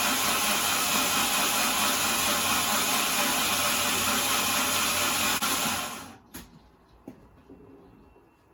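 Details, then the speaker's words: C20XE-engined Mini: steady, fast, even cranking whirr without knocks or grinding, stopping cleanly after six seconds; ignition present, oil pressure building to about 80 psi while cranking after new oil and filter; healthy crank. "Get some RPMs in it. We're getting oil pressure now. You hear that oil coming then? £80 of oil pressure, that is."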